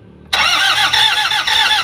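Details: Toyota Hi-Ace van with a 1KD diesel, already given a new suction valve, cleaned EGR and checked timing belt by another shop: steady cranking with even compression pulses about four a second but it never starts; the high-pressure fuel pump is damaged.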